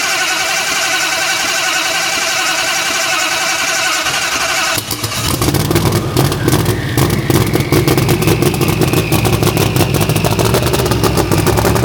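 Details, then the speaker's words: Methanol Duster drag car starting: starter cranks, then a harsh, uneven, crackling, choppy run; injectors wired to OEM specs, but the owner suspects the injector harness is flipped or backwards. "It sounds like the injectors are flipped on side. So I wired it to OEM specs, but it doesn't mean the injector harness isn't backwards."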